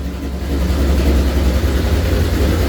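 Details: Rebuilt, cammed Ford GT500 engine (1000+ rwhp build) on its first-start base tune from Palm Beach Dyno: a loud, deep idle rumble with a steady, uneven lope and no knocks or ticks; healthy big-cam V8 idling.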